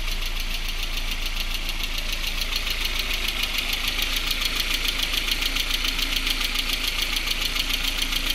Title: Стук в моторе.mp4